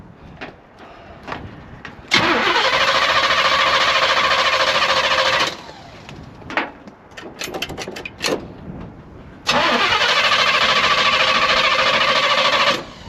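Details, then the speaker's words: 1981 Oldsmobile Cutlass G-body, just revived after sitting nearly a decade: catches, runs about three seconds, dies, catches again and drops out; stalls after starting, owner suspects it drank all the fuel in the line. "Oh, come on now. She probably drank everything that was in the line."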